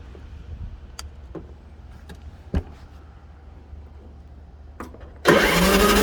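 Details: Husky LT4200 mower after replacing the blown 20 amp side fuse, jump box on the battery: several seconds of quiet with light clicks, then the engine catches at once and runs strong and even; healthy start.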